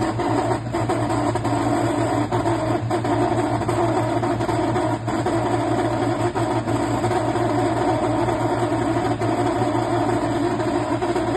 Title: NOMA 10000 BTU Portable Air Conditioner intermittent grinding noise